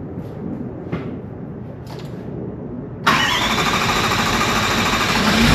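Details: 1VD-FTV turbo diesel swapped into an 80 Series Land Cruiser, first fire-up after ECU adjustment: a few cranking bursts, catches around three seconds, settles into a steady, even diesel idle; runs smoothly.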